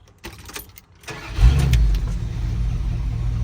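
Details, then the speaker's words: 1981 Dodge Ram 350 with an Edelbrock 600 CFM carburetor and suspected clogged idle circuit: after starting, a heavy, uneven low rumble that swells and eases instead of holding steady; rough, surging idle. "it's running so bad it's even surging now"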